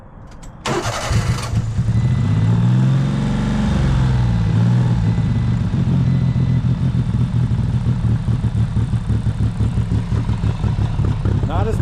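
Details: 1995 Honda Acty, carbureted, jump-started in 27°F cold after sitting 2–3 weeks and testing after carburetor float work; brief cranking then lumpy, uneven rough running with white smoke returning, earlier fuel pouring from air filter and charcoal canister; cause unresolved.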